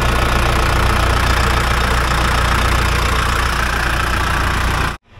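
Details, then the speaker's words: Logging dozer diesel restarted after about 15 minutes off: uneven hit-and-miss running before cutting out, fuel starvation as leaking lift pump diaphragm (dripping from weep hole) loses prime; pump to be replaced. "that pump is leaking it's probably why it's trying to lose its prime when I tried to start it up here again it probably been shut off for about 15 minutes and it was um actually starving for fuel hit and miss but it kept going"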